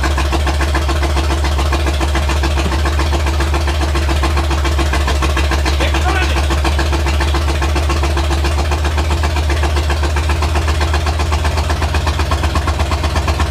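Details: Carbureted project car, started with brake clean: loud, lumpy low idle, steady beat about four pulses a second, running on its own; idles, owner suspects possible carburetor or vacuum leak.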